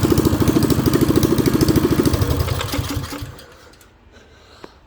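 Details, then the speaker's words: Coleman CT200U mini bike single-cylinder with new carburetor and plug, after gasket air leak fixed: lumpy uneven chugging about three seconds then fades and stalls; rough running, debris or water in tank suspected. "um I don't understand why it's running so bad it's a brand new carburetor unless there was stuff inside the tank or water or something"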